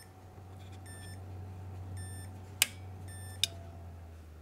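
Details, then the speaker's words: Newly built PC with X570 board, power supply makes two sharp relay-like clicks about a second apart between tester beeps; suspected to happen because it is not under load; cause unclear. "oh well it works it makes funny noises though did you hear that did you hear it there's like some sort of switching relay"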